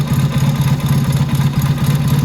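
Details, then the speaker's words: Motorcycle carburetor being tuned with a Colortune plug. Idle mixture screw turned about a turn and a half further out, to roughly 4–4.5 turns; the flame is no longer blue. Deep, lumpy, uneven, sluggish idle that sounds bad. Overly rich idle mixture. "Otherwise, she's rich. full rinse. Sounds like crap. Spark plug's probably turning black on me."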